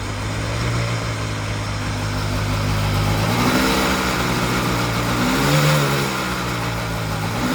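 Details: 2002 Sea-Doo Sportster LE boat, 951cc twin two-stroke, first start after a rebuild combining two boats: steady idle, two throttle blips returning smoothly, even clean note, no knocks; normal idle and revving.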